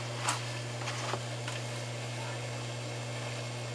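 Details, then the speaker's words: Hot tub circulation pump during heater replacement and GFCI breaker trip diagnosis: steady motor hum with a faint dry whir and no water movement; pump is airlocked and running dry, not circulating water. "I can actually hear this pump and tell that it's not moving water has a very distinct sound to it when it's not moving"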